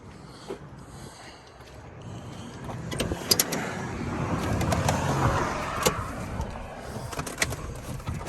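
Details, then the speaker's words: 1996 Ford F150 with new battery and alternator, cold start after sitting: short crank, engine catches quickly and settles into steady, even run with no stumbling; starts right up, healthy normal cold start. "so it starts right up the uh much heater works"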